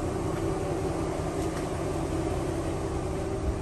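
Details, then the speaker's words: 2002 Chevrolet Trailblazer, 196,000 miles, after fuel injector and valve cover gasket replacement for a cylinder 4 misfire: even, steady low drone at idle with no put-put stumble or skipped beats. The old put-put exhaust sound is now smooth, with no check engine light. "the biggest thing was the exhaust it had a put put put put sound and now it's"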